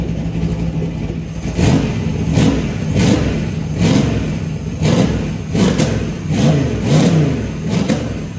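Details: LS V8 on a run stand, cold start: repeated rev blips about every second with sharp cracks and pops as revs rise; accelerator enrichment off when cold, tune to be sorted later.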